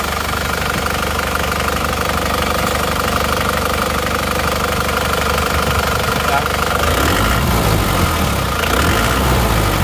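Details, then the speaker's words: Isuzu Panther diesel before rebuild, smoke from the oil filler cap, weak on hills: rough, uneven idle chuff and knock about three beats a second; compression leak suspected from worn piston rings or liners. "mesinnya Ya emang sudah mulai ada gejala asap keluar dari tutup isian"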